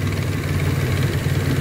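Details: Turbo project car idling low, slightly uneven and rumbly, with lean air-fuel ratio around 17–20; vacuum leaks were found at the Y-pipe flange, a leaking oil catch can and a manifold hole.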